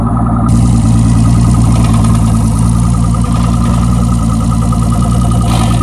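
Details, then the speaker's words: Boat outboard, described as turnkey, run in forward gear with throttle applied: steady even low drone with no knocking or misfire; sounds very good, normal running. "forward sounds very good all right that's good"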